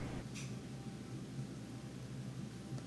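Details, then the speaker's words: Old Whirlpool (possibly Series 7) dryer after repair of a loud rumbling most likely from the rear drum support rollers: quiet, steady low hum with even drum turn, no rumble or thump; now running normally. "now we're gonna plug it back in there we go and we'll press Start there we go it sounds supposed to sound ha ha ha that's great"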